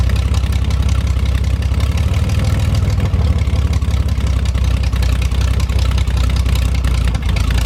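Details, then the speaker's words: 1973 GMC 432ci V6 engine, out of a parted-out truck and sitting unstarted almost five years, run after light prep: deep, even idle with a couple of light throttle blips, steady firing, no miss or knock; normal idle with light revving, healthy. "figured today was a really great day to get the thing cranked up and see how everything sounds and it looks like we got a nice engine to work with"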